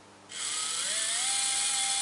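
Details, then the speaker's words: Slot car with newly fitted motor, bench-run from power supply via crocodile clips before mesh adjustment: motor spins up with a high climbing whine, then holds steady with a slightly gritty edge. Rough gear mesh noise. "no matter what you do it will always have that horrible sound on the gears and this is how you get rid of it"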